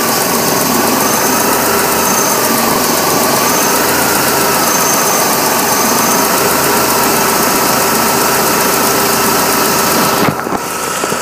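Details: 1998 BMW E46 318i, 1.9 M43 engine: loud, lumpy, uneven idle with unsteady pulses. The fault comes and goes and got worse after alternator work; owner suspects something was disturbed during alternator removal. Rough idle.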